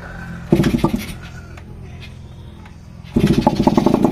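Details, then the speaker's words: Kawasaki HDIII after overhaul with cylinder head refitted: a short burst on starting, a brief lull, then it catches and settles into a steady, even beat with no knocking; now quiet and running, though the unreplaced piston rings make slight noise. "Tahimik na siya, mga kamiganiko. Nakanaandar na siya."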